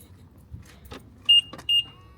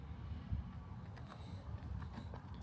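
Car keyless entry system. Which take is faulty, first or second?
second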